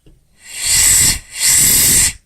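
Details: Old Camel Hossfield air compressor, about 20–25 gallon tank, not yet fully dried out: two clean, crisp bursts of air hiss, each about half a second, as the pressure relief valve vents normally.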